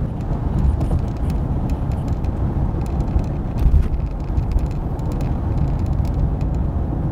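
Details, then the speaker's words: 2013 Toyota RAV4 while driving: over constant road roar, scattered light irregular clicks and rattles come and go from one area of the dash, replicable by banging on the dash; loose trim piece inside the dash suspected. "he also says there's an occasional rattle from this part of the dash which I can sort of replicate when I bang on the dash around here"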